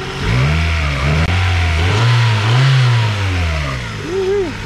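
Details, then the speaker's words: 1997-2001 Honda CR-V with newly replaced engine, no exhaust or catalytic converter, no check engine lights: loud open-pipe engine rising and falling through several clean revs, no misfire, knock or shake; normal revving. "So obviously this thing's a little bit loud, guys. It doesn't have an exhaust or a cat, so we're gonna have to send it off to get that done. But man, she is running smooth. Yeah, not even a shake."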